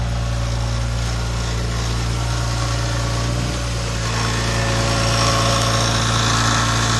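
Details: BMW E46 M3 at idle: steady light rattle of three to four beats a second over deep idle hum, present at startup and idle, cold or warm alike; cause unknown.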